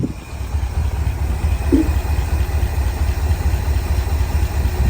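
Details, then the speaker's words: International Harvester Loadstar crew cab truck parked 30 years, first run: lumpy idle with an occasional top-end tap ("doinking") and stumble, possibly slight backfiring, with possible blow-by from the manifold or valve cover; cause unknown. "something sounds interesting occasionally see a little doinking noise yeah you see that huh that is some interesting sound I don't know what it is well it sounds like it's under a hidden valve cover or"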